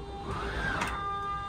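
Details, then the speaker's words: 2024 Forest River Salem Hemisphere 325RL fifth wheel, Schwintek slide-out motor operated from the bedroom slide button: steady, even electric whine with constant pitch and no grinding or catching; running normally. "You'll hear that whine. That's the Schwintek motor engaging and disengaging."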